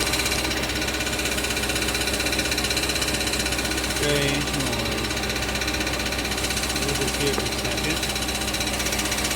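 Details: 2005 Audi B6 4.2 L V8, 180,000 miles, cold start idle: fast metallic rattle from under engine; failing starter return spring left pinion engaged against flywheel, revving threw it back; loosening starter stopped it.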